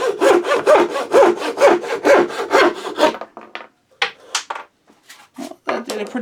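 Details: Thin turning saw blade just resharpened, making curve cuts: steady, even rasping strokes about two a second, then stops, slight vibration as the blade needs lowering for more support; sharp saw cutting cleanly.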